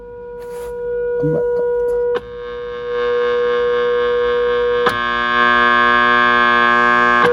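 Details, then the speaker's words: Arvin 257T tube radio at 117 V line voltage with a warmed-up signal generator injected for IF alignment: steady pure mid-pitched tone through the speaker without hum or crackle; the IF stage passes a clear signal. "I'm getting a clear signal. Just want to keep it lower, so we'll actually hear it."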